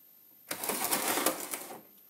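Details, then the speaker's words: Volvo 850 AWD angle gear (1997-1999), likely run without oil, turned by hand: rough gritty ratcheting grind for about a second, excessive pinion play; damaged gears and bearings inside. "this is how much play there is in the pinion that's way too much and it doesn't sound very healthy"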